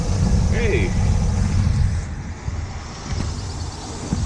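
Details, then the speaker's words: 1979 Ford Pathfinder Quadravan 4x4, new carburetor just fitted, battery positive cable reconnected, hot day: engine catches and settles into low even rumble, no misses or knocks, no leaks; normal start and idle. "Look, I did something right again. All that hard work paid off. Motor sounds good too."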